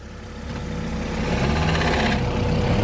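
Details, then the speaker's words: Honda Civic 4-door making about 360 hp after a burnout: rough uneven chatter over the engine pulling off, only in the first one to three mph then gone; clutch or transmission suspected, possibly throwout bearing, not confirmed. "no idea what that is so the noise only makes sound when he's taking off the first like one two three miles an hour but after that doesn't make any more noise"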